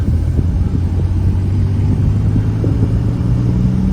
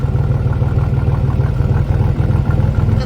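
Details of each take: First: Salvage Cadillac Cimarron on its first drive, oil pressure 20: a deep engine drone rising smoothly under acceleration with no stumbling. Earlier bucking was blamed on very low fuel, and it now pulls with full power. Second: Salvage Cadillac Cimarron 2.8 at idle: rapid low puffing pulses about three a second, fairly uneven chuff over the idle; exhaust leak.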